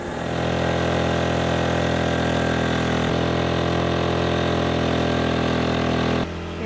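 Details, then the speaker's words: Northern Lights diesel generator on 30-year-old 48' catamaran, still unrepaired awaiting a technician: loud steady drone at even beat with no speed change; runs noisy, cause unclear. "as you can hear we have our annoying generator still we've not gotten the Northern Lights generator fixed"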